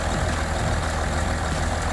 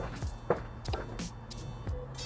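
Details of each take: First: Range Rover Sport diesel restarted after running out of fuel, with low battery and fault codes cleared; even, steady idle clatter with no misses, normal idle. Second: Range Rover Sport diesel that ran out of fuel, suspected air in the system: scattered clicks, then the starter cranks in quick even beats for about three seconds without firing, starved of fuel.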